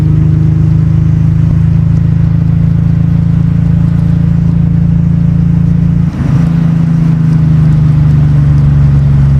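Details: Nissan 300ZX Z32 (VG30DE), bought with a blown motor, running after TPS reset, ECU swap and exhaust rework: steady deep, even exhaust drone with no misses or stumbles; repair successful, sounds far better than before.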